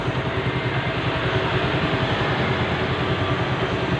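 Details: Suzuki Satria FU 150 after an engine rebuild; even, steady single-cylinder drone with no knocks or ticks, the engine sounds smooth: normal running.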